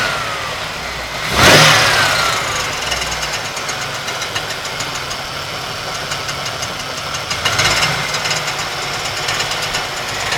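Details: 1992 Ford Taurus 3.0 Vulcan V6 at idle: constant metallic grinding with fast light clatter, louder in bursts, seeming to come from the right side within the engine block; persists with alternator and serpentine belt removed; cause undetermined.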